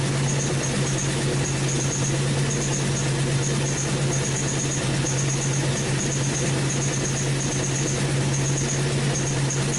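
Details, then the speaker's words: 2005 Chrysler 300C 5.7L Hemi V8 after rebuild, idling steadily and quieter: faint high chirp about twice a second from the right-hand exhaust, owner suspects a bolt causing the squeak; exhaust squeak. "all right so the squeaking you hear that's the exhaust on the right hand side i think it might be like a boat or something that's uh causing it to squeak because i went right next to the exhaust"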